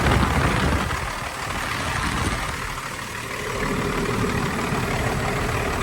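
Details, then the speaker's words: Even, steady low rumble at idle with no knocks, misses or ticking; normal idle. "That one sounds good."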